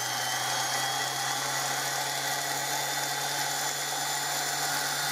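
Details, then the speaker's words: Overhauled 1930s Hoover 725 upright vacuum cleaner, motor running without the fan fitted: a steady high electric hum at constant pitch with no rattle or grinding and very little brush sparking; runs smoothly. "But it runs really smoothly. That's without the fan on."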